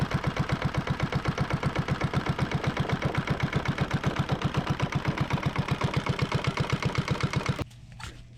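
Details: Yanmar 1GM single-cylinder marine diesel from a sailboat, on a shop pallet, idling a few minutes while diluted muriatic acid flushes calcified buildup from its cooling passages: steady, even thumping about four beats a second, no misses or knocks, then shut off; normal idle.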